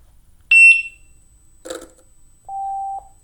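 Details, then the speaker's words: Gotway EXN electric unicycle opened up, pressure applied as if the shell were on: two power-on chirps, then a short buzzy rattle as the spinning fan blades clip a heatsink fin bent by an impact. "clearly this the side also pressed in on the fan and the fan blades hit"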